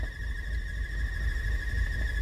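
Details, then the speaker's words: VW Tiguan 2.0 TSI at idle with check-engine light and P0300 misfire codes: steady high whistle over a low idle rumble that stops when the cap is opened; original PCV valve diaphragm is torn, leaking vacuum. "e tchau diafragma galera ele fura o diafragma aqui né É original ainda peça original e acaba fazendo esse essas 2 Doutora né"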